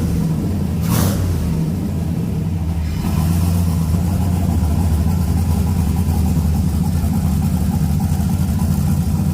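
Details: 6.0 LS-swapped S10 with turbo being fitted, open pipe, untuned, breathers not connected: loud V8 idling unevenly with lumpy, stumbling beat and brief rev; running rough, needs tuning.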